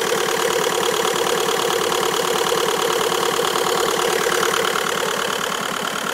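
Steady idle carries a quick, even ticking about three times a second over the engine hum; an odd idle noise of unknown cause.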